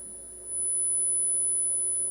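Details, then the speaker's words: Restored Telefunken Operette 6 radio, Bluetooth module output playing a 10 kHz test tone at raised volume: thin high whistle with a harsh impure edge, crossover distortion from the LM358 op-amp, unsuitable for audio. "you clearly heard that this is uh very distorted so um I went a little bit of searching online and I found some interesting facts about the uh the op amp which is used here the lm358 and um yeah it's not really a good op-amp to use for audio"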